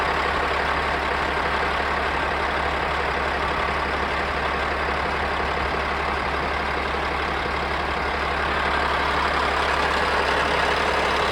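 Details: Caterpillar diesel rebuilt with used liners, pistons and rings, fully warmed and broken in after hours of hauling: even, steady idle, smooth low rumble, no knocks or misses; only slight visible blowby, running well.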